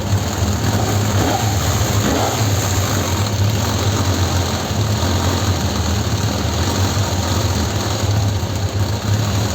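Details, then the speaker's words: Suzuki GSX600F four-cylinder on lift, owner complains it runs poorly especially at start: idle rises and sags instead of holding steady; unstable revs before new NGK DR8ES plugs and carburetor synchronization. "Vamos a arrancarla para que para que veáis lo que hace con la con el tema de las revoluciones. Ahí que no es no es estable."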